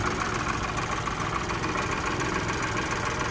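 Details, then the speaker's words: 2016 Renault Twingo 1.0 with engine light on, idling with components disconnected during fault finding: a steady drone with an uneven, slightly lumpy pulse underneath; engine running a bit rough. "okay I have all of the disconnected so the car is running a little bit rough at the moment but I want to sort these out before I put everything back"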